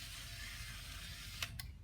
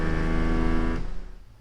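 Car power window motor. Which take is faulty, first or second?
second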